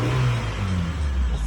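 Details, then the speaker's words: 1994 Honda Accord with surge/idle complaint: brief clean rev dropping back smoothly, no surge or hesitation; sounds normal. "good it sounds normal okay now that we ran the car and make sure it goes good"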